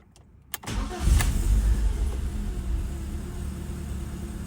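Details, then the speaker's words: BMW E36 Compact 316i after replacing the MAF sensor, previously rough idle/misfire with an air leak: quick crank, catches cleanly and settles into a steady, even idle with no stumble; normal idle. "yeah yeah I'm digging that I'm digging that for sure that's much more stable let's go guys that's the new map so much more stable yes guys let's go"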